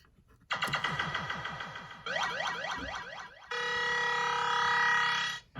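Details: Williams System 6/7 pinball sound board from Black Knight, rebuilt with new ROM sockets and a socketed 6810, powered on a bench rig with a volume pot, plays clean rising electronic sweeps, fast chirps and a steady bright tone without crackle or dropouts; board working normally.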